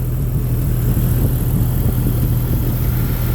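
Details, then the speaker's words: Jeep Grand Cherokee 4.0 straight six, head just put back on, still cold: smooth, even low rumble at idle, no knocks, misses or lifter ticking; healthy. "it's a straight six they sound so [Music] good they Rev so quick it's weird but it really ain't lifter ticking or none of the stuff that I know that [Music] the 40's do"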